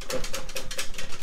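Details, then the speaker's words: STACYC 16eDRIVE brushless electric balance bike, dealer-assembled, while child rides: quick dry clicks about five a second; drive chain too loose, slapping, to be tightened; sibling's 12eDRIVE lacks this noise. "so what that is is the chain down here the chain looks like it's a little bit too loose you can see it moving around when i put uh tension on it so we're gonna tighten up that chain to get that noise out"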